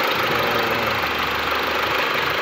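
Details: 2013 Mitsubishi L200 diesel, P0335 crank angle sensor no-start case: steady, even idle with smooth unbroken clatter, no misses or knocks; engine running normally.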